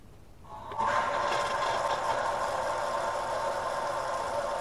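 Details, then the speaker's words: Shallow-well pump in Florida, unused for a year and run on solar power, at its winter start-up: it kicks on after a quiet lead-in and settles into a steady hum with water rushing through; healthy start. "i'm gonna let that water run through the pump and tank see if it keeps its prime just let it run for a while see if the uh the well itself the shallow well still has that pocket of water so far it's looking real good"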